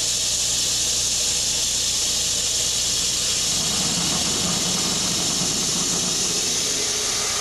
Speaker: we've again imposed a 70 to 80 psid pressure differential across the valve however at this higher inlet pressure of 200 psig cavitation does not occur